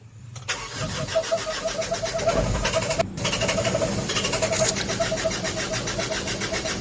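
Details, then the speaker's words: Fuso Canter truck with 4M50 diesel engine: starter cranks steadily at about three beats a second for several seconds but it never catches; injectors checked and seem okay, crank no-start with cause not confirmed. "so Ayan guys Ayaw talaga umandar Okay naman yung mga injector niya"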